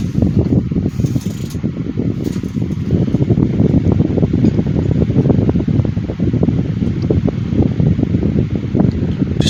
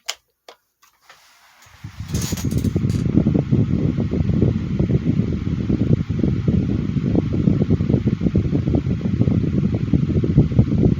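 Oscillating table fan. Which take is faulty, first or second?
second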